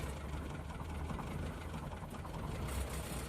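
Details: 2003 Citroën C3 petrol, bought four months ago, not overheating or using oil: a rough idle with a faint, fast ticking buried in the rumble that worries the owner. The cause is not confirmed.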